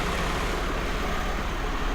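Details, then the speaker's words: 1995 Mercedes SL280 (25,000 miles) idling smoothly and evenly after repair of a fuel leak into the intake manifold that was making it run rich, hunt at idle when warm and start poorly hot; steady low drone with no hunting, and it now starts on the button. "It doesn't hunt idle anymore, it starts up on the button."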